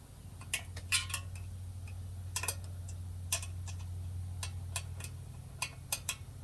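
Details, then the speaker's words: Lectric XP e-bike, wheel spinning after remounting the tire: light irregular ticks and scrapes over a low hum as the brake rotor rubs the pads; rotor seems slightly warped; loosening the caliper and squeezing the lever stopped the rub. "is actually rubbing on the brakes still but sometimes you can adjust this all the way out you still get that noise"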